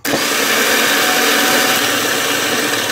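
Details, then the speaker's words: Nissan Maxima remanufactured starter bench-run after 600 grit sandpaper and carb solvent cleanup; steady high spinning whir, no drop-outs or stutter, earlier dead spot gone; runs normally as temporary fix pending new starter. "I don't hear that dead spot."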